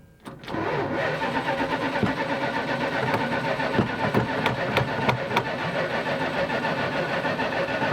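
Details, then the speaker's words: 1977 Dodge Sportsman motorhome V8 on gasoline: sluggish, uneven cranking with spaced clanks before it catches and settles into a rough idle; worn starter, which had been hit earlier to get it to start. "so we're going to start it up again we'll see if it'll start itself after we beat the starter before"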